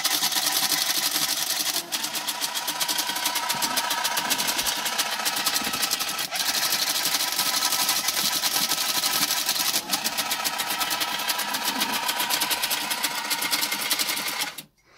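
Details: TIM8 relay computer looping hello world to a Fenix TK41 tape printer via parallel port: fast, steady relay clatter and printer chatter, with brief gaps every few seconds as each loop repeats. Print-pulse timing is now fixed; normal operation.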